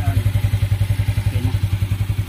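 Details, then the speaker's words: Yamaha Mio Sporty scooter, previously misfiring and backfiring, after battery fix and air filter cleaning: steady, even idle of about ten pulses a second, no hiss or misses. Earlier leak noise gone. "So ngayon okay na, tahimik na ulit siya."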